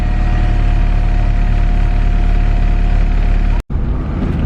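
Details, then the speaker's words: Honda K20R-swapped EM1 Civic with an RBC manifold, test run on a KPro stock base map: fires promptly and settles into a steady, even, smooth low-rumble idle with no misses or knocks; a check-engine light shows for the secondary O2 sensor. "Okay guys, doing a little test run. It's running pretty good."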